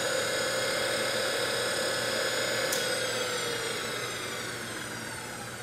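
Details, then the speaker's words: Brushed DC motor removed from an electric conversion, bench-run on a 12 V battery (sagging to 11.8 V, back to 12.4 V unloaded) at about 3,000 rpm: even, clean whine with no grinding or knocking, smooth coast-down; healthy. "so that's what she sounds like it's probably 3,000 RPMs for getting close to it sounds real good"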